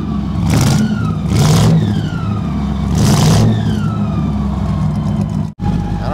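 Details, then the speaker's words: 1960 Impala engine with new exhaust, heard from the engine bay while blipping the throttle: a thin whine rising and falling with revs; drive belt caught and rubbing on a radiator hose clamp, nearly wearing through the hose. "what the heck that whining is up here you guys hear that [Music] whining oh stop stop stop it now how in the world that belt got hung up on that hose clamp I have no idea"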